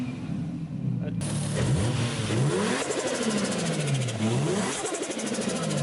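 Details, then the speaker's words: Engine after Greddy turbo kit install, RTV-made gasket, boost controller vacuum lines routed, plugs gapped, wastegate at 0.9 bar: revs up and settles in smooth even sweeps, crisp clean note, no knocks or rattles; "sounds like a $5 grand sound", normal revving. "Yeah, it sounds like a $5 grand sound."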